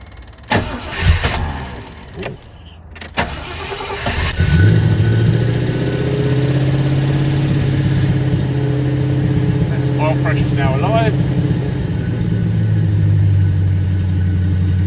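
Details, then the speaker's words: Rover P6 3500S V8, first start in a fortnight on a cold 8°C morning, with choke and an electric fuel pump. Brief crank, clean catch and an even, fast choke idle; the exhaust sounds fruity. Normal cold start and idle. "the first thing to note is that um exhaust sounds quite fruity um but it's it's it's running off choke just about I say it's quite cold"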